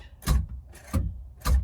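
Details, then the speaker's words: Holden VK Brock tribute during dash reinstallation: three sharp solenoid clunks about every 0.6 seconds when the glove box light is triggered. Miswired glove box light circuit is firing the boot release; fixed by swapping the wires. "clicking that's the boat release boot release glove box like glove box light I've got the bloody why is wrong"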